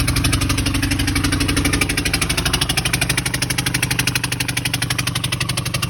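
At idle, a sharp regular tapping about four times a second sits over the engine's rumble, pointing to a knock from inside the engine.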